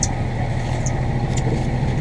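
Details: New diesel just installed in a Morgan 41 Out Island sailboat, already run about an hour by the installing mechanic: low, steady diesel thrum at idle with an even beat and no knocking or stumbling, a healthy idle.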